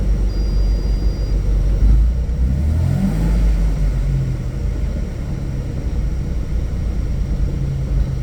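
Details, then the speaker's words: Nissan M35 Stagea after AWD manual swap, first drive: droning rumble rising and falling with road speed; third quite noisy and fifth especially, second fine; owner plans to check gearbox fluid level, cause not yet found. "third seems quite noisy as this for oh and fifth in particular sounds"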